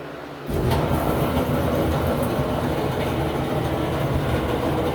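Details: Samsung dryer with a constant heavy rumble from the moment the drum starts, steady with no rhythm change; worn drum rollers, fixed by replacing all 4 rollers.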